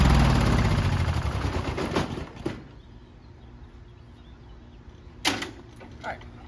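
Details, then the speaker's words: Craftsman riding mower with a Briggs & Stratton 14hp engine, after a starter replacement fixed a high amp draw; it catches with a rough two-second sputter and dies; the cylinder floods if the key is left on, and the plug needs cleaning. "the starter managed to fix our issue of a high amp draw killing its battery all the time, leading to slow and hard starting, except for the normal hard starting of it flooding all the time and me having to remove the spark plug, clean it, and put it back in every single time I start it"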